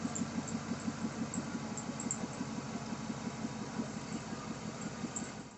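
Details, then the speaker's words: 2007 Chevy Silverado idling after a stainless steel exhaust manifold install, one broken manifold bolt still in place; steady, even V8 idle with a soft exhaust pulse and no ticking or puffing; the earlier exhaust leak is barely audible now. "Um, like I said, I had an exhaust leak and you really can't hear much of it anymore."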